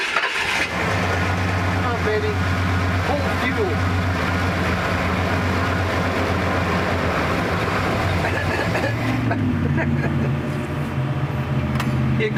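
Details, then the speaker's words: Old original V8 in a 1979 Ford Bronco, before its Coyote swap: it catches, then idles rough and uneven, speed sagging and hunting as if about to stall; not knocking, possibly running out of gas, carburettor not rebuilt. "Motor's good though. I mean, it's old and will probably stall, but it's good. At least it's not knocking"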